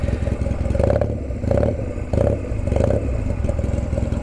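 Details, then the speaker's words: Honda Rebel, warm, at idle: a deep, loud, lumpy thump with coarse uneven pulses and little muffling, because the previous owner cut the exhaust. Loud exhaust from a cut muffler. "Now, the previous owner, he cut the exhaust, so unfortunately it's rather loud."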